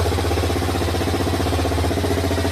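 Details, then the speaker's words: Honda Twister 250 single-cylinder after engine-noise repair: steady, even, healthy idle with no knocks or rattles; the noise is gone and the engine sounds new again, though the cam chain tensioner had been removed and timing was checked. "funcionando tudo direitinho. Ó, a zoadinha ficou nova de novo."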